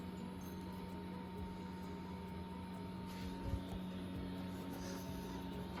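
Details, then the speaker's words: Walbro 450 fuel pump on turbo K24A2 (Borgwarner S257, E85, new 2200cc injectors, KPro) set to run continuously to prime: low steady electric hum with faint higher whine, unchanging; pressure builds, no leaks; normal. "I don't hear any see any fuel yet. We got pressure. Fuel pump's running."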